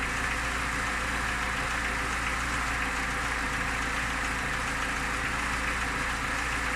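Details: Lada Niva engine at idle: steady idle with a faint repetitive tapping over the engine note; owner asks what the knock is, source unknown.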